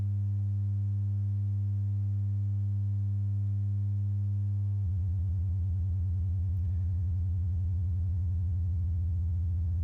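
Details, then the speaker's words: Synth oscillator's sine output patched straight to the output and scope: tuning the pitch down turns the clean low tone into a rapid stuttering buzz as the pitch sags, and the oscilloscope trace goes wild. Cause unknown. "yeah and it kind of pitches down and as you can see the oscilloscope goes crazy crazy"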